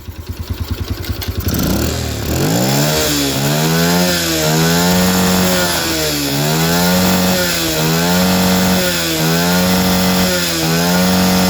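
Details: Yamaha Jupiter with Honda Grand carburetor fitted, idle air screw set at 3.5 turns: engine catches and revs up and down cleanly in repeated blips, pitch following throttle smoothly, no misfire or stumble.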